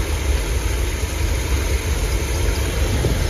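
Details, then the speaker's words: 454 V8 in a 35-year-old motorhome, first start with the new exhaust: deep steady rumble with even beat, no knocks or misses, pretty quiet; starter seemed to drag a little and timing may need setting; normal idle. "like a starter drug a little bit yeah that's nice it's pretty quiet"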